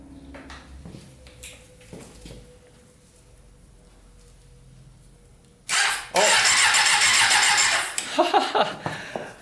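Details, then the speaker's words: Custom Yamaha Banshee with a 600cc sport bike engine swap: starter works only with the clutch held in; quiet cranking, then it catches with a sharp loud bark and settles into a clean, crisp rev; healthy first start. "That is awesome. Alright, so you just had to hold in the clutch. Well, we figured that out. So that sounds pretty good. It turned over. It's a great first start."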